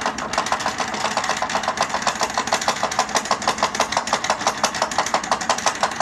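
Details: Power chair drive motor knocking: a coarse, rattling knock repeating about three times a second over a steady motor hum; the chair sounds like a tractor, cause unknown.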